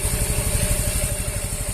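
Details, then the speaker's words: Yamaha Fino 125 after the exhaust rocker arm was replaced and the faulty decompressor removed, engine refitted to the frame: steady, even single-cylinder idle with no clatter or ticking from the top end; normal idle. "kita sudah lihat bahwa suaranya sangat halus sekali. Ini kondisi, saya ulangi lagi, bahwa ini kita sudah mencabut dekompresinya,"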